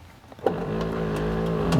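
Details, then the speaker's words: Rear power window of a 2001 Buick LeSabre: the motor whirs with a steady hum while uneven crunching and scraping break through and the glass barely moves. The motor is probably okay; the window regulator has failed. "uh the window tries to move a little bit you can hear the motor turning which tells me the motor is probably okay but we definitely need a new regulator"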